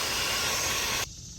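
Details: 1998 Mercury Grand Marquis exhaust leak found during a pressure test: a loud, steady, airy hiss that cuts off abruptly, air escaping from a leaking exhaust manifold joint, before repair.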